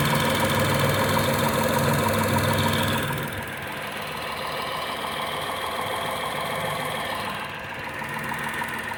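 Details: Tata Tiago XZ+ BSVI at 2,900 km odometer, sudden engine knocking: regular knock about three per second over the idle, continuing as the engine note drops; cause unknown.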